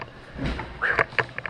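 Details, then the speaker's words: Wico magneto on a single-cylinder Wisconsin engine, points cleaned and impulse coupling cleaned and lubed after it would not trip, turned by hand: sharp snaps as the impulse coupling trips cleanly and works normally. "that is kind of rough on the old fingers anyway that's the gist of how that works you hear that thing you snapped again"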